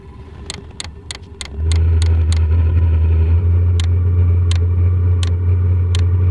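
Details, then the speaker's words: New portable diesel heater started on level 5 of 6: sharp evenly spaced fuel-pump ticks, then a quiet rocket-like fan roar comes in and holds; air initially only slightly warm; clean normal startup. "She's going. It sounds like a rocket or something, like really quiet though."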